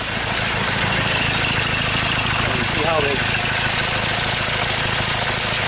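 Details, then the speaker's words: 2013 Ford Ranger T6 diesel that lost power and stalled after a shop service: rough, uneven chugging idle with clattery background, sounds like a cylinder misfire. "so that sounds like a misfire"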